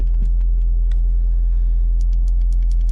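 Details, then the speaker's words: MK4 VW Golf 1.8T just after its failed fuel pump was replaced with an uprated 265 LPH pump: low, even, steady idle with no misses, where it could not idle properly before. The new pump seems quieter than the old one; normal idle. "The car couldn't even idle properly before. And one thing I must say, this pump is actually way more quieter, I think, than the old whatever it was, Quantum or whatever it was on here."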